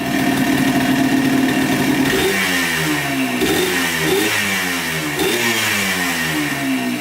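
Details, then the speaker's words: 1996 Yamaha Blaster 200 two-stroke quad after the carburetor repair: crisp blips climb and fall cleanly with no bogging. The earlier bog and lack of power were blamed on the carb flooding and a pin in the wrong position. "pretty good i think she's fixed all right so i think the carburetor was the issue i think it was just flooding out and not allowing it to rub out"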